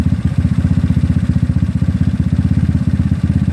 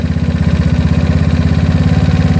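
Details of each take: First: GY6 scooter with OKO PWK 30mm carburetor during tuning, idling with a low steady putter, even beats and no hunting or surging, having come down to idle; normal idle. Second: GY6 scooter engine with an OKO PWK 30mm carburetor, idle mixture screw turned richer: fast, even putter of about thirteen beats a second, sitting well above a proper idle; high idle from a rich mixture, later set about a turn and a quarter.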